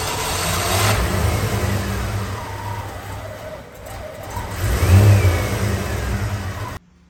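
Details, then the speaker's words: 1988 Ford Mustang Fox body 5.0 V8 manual, revived after sitting, fresh oil and filter: catches and revs with an uneven, stumbling beat, still idling rough though slightly better under throttle; misfire not yet confirmed cured. "so unfortunately it is still idled and a bit rough however it seems to be dry um a little better under you know throttle"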